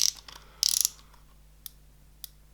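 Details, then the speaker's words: Shimano Ultegra 14000 XSD reel fast drag system: quick burst of fine ratchet clicks as the drag knob turns, then a couple of isolated ticks; crisp, even clicker action. "I do like the fast drag systems on wheels and this one has it unlike the previous model the X SC which did not have life"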